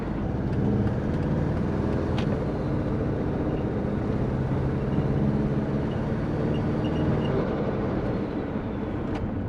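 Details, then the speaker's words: Twin-turbo Subaru Forester warm idle near 80 degrees: faint sharp ticks and puffs over low rumble from an exhaust leak, suspected at the wastegate or manifold-to-up-pipe joint. "this sounds like i've got a bit of an exhaust leak actually"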